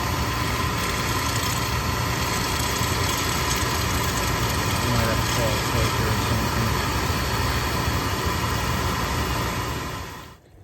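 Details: Oil burner that stopped working after an oil delivery, running after a reset while oil is bled from the pump bleeder, with the filters suspected of debris: a steady roar with a faint, uneven flutter; the burner may be starving for oil.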